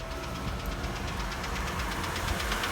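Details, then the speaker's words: Ex-fleet Chevrolet Malibu started cold after sitting: quick, even knock at several beats per second over idle that fades as it warms. Cold piston slap, said to be common on these engines. "It's a very common issue with these engines, and every single one that I've bought, not just AT&T, but other ones that were not AT&T, they all do that piston slap when they're cold. It sounds awful."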